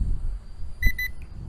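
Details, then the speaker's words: SMRC M21 220 g GPS drone in flight: two quick high-pitched beeps from the controller over faint wind as it stops and flies back; range-limit warning, owner suspects a geofence despite beginner mode unchecked, unconfirmed. "It's warning me, hey, you can't go, like, I can't go any farther. It's flying back."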